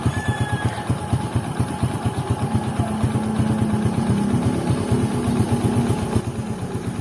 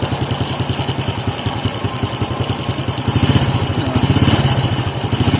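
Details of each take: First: Honda XRM110 idling right after timing chain replacement with timing marks aligned; old chain was badly worn; even single-cylinder idle, smooth steady beat with no clatter, only faint background clicks, the earlier noise gone; normal idle. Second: Honda XRM110 at idle before repair: rapid clattery metallic ticking over a steady single-cylinder idle, a chain rattle distinct from valve tick needing tune-up; worn timing chain rattle, chain set to be replaced.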